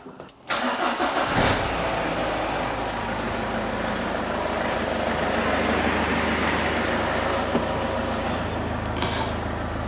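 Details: Citroen Xsara Picasso with over 512,000 miles (825,000 km), common-rail fuel pressure about 298 bar, started on the ramp: cranks, catches within a second and settles to an even 700 rpm idle with no knocks; normal healthy idle.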